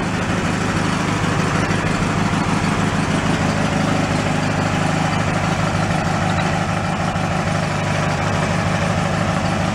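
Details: Mid-1980s Snapper riding mower, transmission locked up in part 1, now shifted into gear at idle: steady, even engine drone with no clunks or grinding. The drivetrain sounds healthy under light load.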